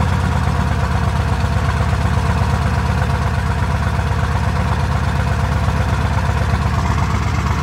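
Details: 7.3 Powerstroke OBS diesel truck at about 8°F after sitting unplugged a week or more, owner suspects a bad glow plug, fuel not gelled: deep heavy rumble, slightly uneven pulsing near three beats a second right after hard cold start; rough cold idle.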